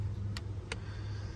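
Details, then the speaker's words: Winnebago Solis battery boost circuit with a 250A SPDT relay, triggered by a momentary switch from the house battery bank. Two crisp clicks about a third of a second apart over a low hum: the relay is switching normally. "so so there you go and I can hear the relay clicking back there"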